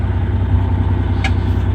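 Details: Terex articulated rock truck, Cummins M11 diesel, after fixing transmission stuck in neutral: deep, even chug at steady idle, regular pulses, no knocks or rattles; healthy.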